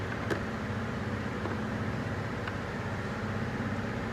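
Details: Toyota Tundra 3UR-FE V8 at idle with an uneven, stumbling beat instead of a smooth hum, one cylinder dropping out: a cylinder number 7 misfire, ahead of an engine rebuild.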